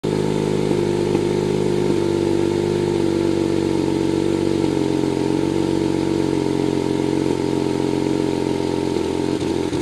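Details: BMW 135i at idle: uneven idle with an occasional stumble in the exhaust beat over a steady hum; a misfire that sets no trouble code, cause not yet found.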